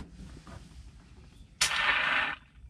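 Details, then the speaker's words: Mack truck with an 8-speed transmission and a homemade gear shifter: moving the shifter gives a short, sharp hiss of air, under a second long, blowing out of the valve's exhaust hole. The air valve is leaking. "It leaks when I put it right there and it goes, listen."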